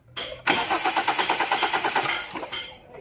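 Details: Hyundai Tucson engine cranks with even pulses, about ten a second for roughly 1.5 seconds, but never fires; crank-no-start condition under step-by-step diagnosis.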